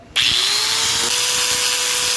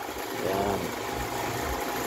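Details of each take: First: Metabo angle grinder after repairing a missing line connection to the carbon brush that had caused a rough, dead running sound: quick spin-up to a steady, even high whine held about four seconds, no rattle or grinding; runs healthy. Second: Metabo angle grinder with a grating sound: runs rough and uneven with a wavering buzz, no clean whine; once opened, the carbon brush is sunk in and the commutator worn, while the suspected bearing turned out fine.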